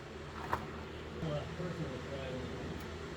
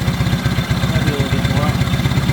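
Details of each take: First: 1970 Honda 600 (N600) sedan engine, first run after carburetor rebuild: fast busy idle around 4,000 rpm that won't drop because the throttle cable is too tight with no play, so the idle screw can't work. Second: 1970 Honda N600 sedan twin-cylinder engine with borrowed carburetor and coil, after backing off the too-tight idle screw from about 4,000 RPM: quick, even, unbroken idle at about 1,200 RPM with no misses: normal idle.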